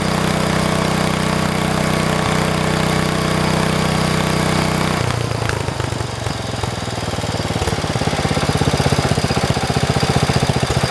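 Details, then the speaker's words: 1973 112 tractor with new points, coil, condenser and carburetor: the steady single-cylinder beat turns into a rough, uneven stumble when throttled up and when the clutch is pushed; engine misfire. "You can hear it. It's kind of got a miss to it. I don't know if you guys hear it or not, but I can."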